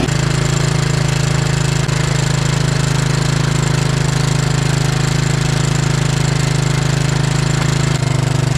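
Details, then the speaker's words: Moto-4 Big Bear 350 ATV after a field fix to the throttle cable tube brought idle back to normal: the single cylinder thumps along at a steady, even beat with no misses or surging. Runs like new. "good e wow this thing runs like it's brand new"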